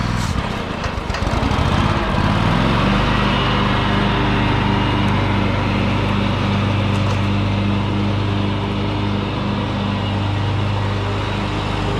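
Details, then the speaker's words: John Deere X500 Kawasaki twin after head replacement (valve guides dropped, bent pushrods); choke held halfway, owner suspects bad gas. Steady even two-cylinder beat, both cylinders firing, no misses; normal healthy running. "oh there it is running I have to hold the choke halfway on I think it's got really bad gas in it but it is running on both cylinders there sounds good healthy"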